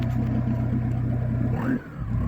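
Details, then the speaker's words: Turbocharged car after a highway trip: loud, deep droning rumble with raw exhaust noise. Exhaust pipe broken and leaking just behind the seat; the bad section is to be cut out and replaced with new pipe. "Alright, so coming home from a highway trip yesterday, my exhaust starts sounding funny, so let's see if it sounds normal or it sounds like something's falling off. Oh yeah, that's loud and obnoxious."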